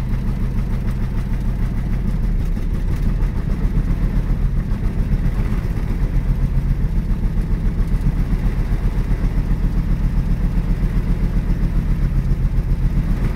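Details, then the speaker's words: 1965 Mustang coupe that hadn't run since the previous year, just after setting the points, cleaning the plugs and setting the timing: a lumpy, shaking idle with an uneven stumbling beat of about 220 pulses a minute; an aggressive misfire at idle. "shaking a little bit well sounds like it's missing [Music] it's pretty aggressive missing"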